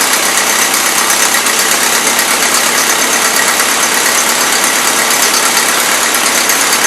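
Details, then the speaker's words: 1977 Toyota Celica with a Weber carburettor, first run since around 1994–2005, cold: steady hissy idle with a lazy, uneven beat. It loads up rich even with the mixture screws fully in; the owner suspects excess fuel pump pressure or carb icing. "that's the problem mixer screws turned all the way in it's still loading up"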